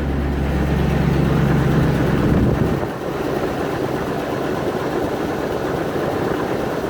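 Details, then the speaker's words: 1994 Range Rover V8, car had been standing: raised droning V8 drops back after a few seconds to a calm, even idle with no misses or knocks; normal. "right so as you can see settle down to a fairly calm idle now"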